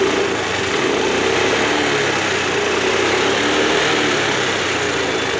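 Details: Honda Grazia scooter with a self-start problem (starter turned but engine wouldn't start), after moving the pickup coil slightly closer to the magnet: catches and settles into a steady, even idle with no misses or knocks; fixed.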